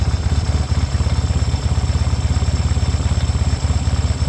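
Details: 1972 Yamaha XS2 650 twin with about 10,000 miles, cam chain tightened and valves adjusted to spec. Upright on the center stand at idle it gives a steady, low, thudding knock of about three per second over an uneven idle; there is no noise on the sidestand. Cause unknown.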